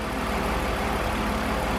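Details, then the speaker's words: BMW E46 323ci 6-cylinder with a misfire fault: a steady, even idle hum with no skips; idle sounds fine, and the misfire is suspected to appear only under load. "so I don't know who's that Idol that actually sounds alright"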